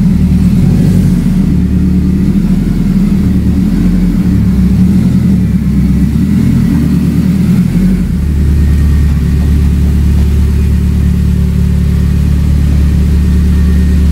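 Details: Engine revved: deep steady rumble rising and settling smoothly with throttle, no knocks or rattles; healthy, ready to drive.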